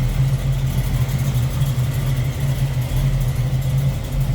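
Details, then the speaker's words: 1972 Chevrolet Camaro SS, 350 V8 decked and built, with headers, Edelbrock Performer RPM aluminum intake, HEI ignition, 4-barrel carb and serpentine belt: deep, steady, lumpy idle with no knocks or ticks. Looks and sounds good; normal idle. "Looks good, sounds good. 1972 Chevrolet Camaro SS."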